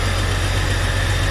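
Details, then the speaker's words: 1999 Jeep Cherokee with a junkyard 4.0L inline-six swapped in, first run: smooth, steady idle with an even pulse and no ticks or knocks, no check engine lights. The cracked exhaust manifold still needs welding, and smoke is likely oil burning off the manifolds. "how about that guys it's freaking run sometimes all the stress the aggravation's worth it sounds like it's running pretty smooth they don't have any check engine lights on"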